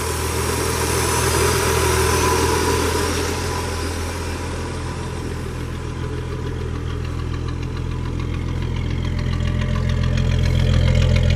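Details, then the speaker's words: 300 inline-six at idle: smooth, even low rumble with no knocks, misses or ticks, running like a sewing machine; normal idle. "Got a 300 inline in it, which I will have to say runs like a freaking sewing machine."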